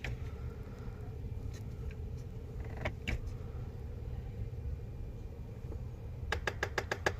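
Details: Nissan Frontier: a run of sharp clicks from an air-vent door actuator over the low engine hum when the key is turned. The noise persisted after a makeshift fix; the proper fix is replacing the vent door motor.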